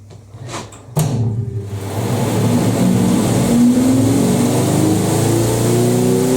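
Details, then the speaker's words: 1980s Ariston by Colston Electronic 3000 spin dryer, auto pump version, draining through hose, balance check: soft whoosh climbs to a steady high hum, water whipped around at 3000 rpm, quiet, virtually no vibration; normal spin. "See the water getting whipped around? That's 3000 RPM. How quiet that is. pretty much no vibration either."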